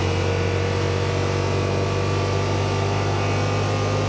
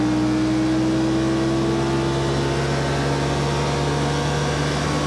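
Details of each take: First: 2021 Yamaha Wolverine RMAX XTR 1000 4-seater, CVT, in cab at about 40 mph (5750 RPM and ~100 dB at 30 mph): loud, steady high-revving drone with no pitch drop; CVT holds engine too high, blamed on light clutch weights. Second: 2021 Yamaha Wolverine RMAX XTR 1000 4-seater, Trail mode, after a change cutting cruise RPM about 600 (5800 at 44 mph): loud steady drone, even slightly rising hum at cruise, no knocks or grinding; drivetrain smooth at lower revs.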